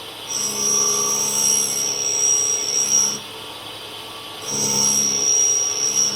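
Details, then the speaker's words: Clarkson cutter grinder forming flats on an HSS spade drill, about 1.5 thou infeed; two light passes, thin high steady hiss about three seconds each, wheel engaging but removing little material. Grinding wheel cutting poorly. "So as you can hear, it's engaging the wheel a bit, but it's just not taking a lot of material off."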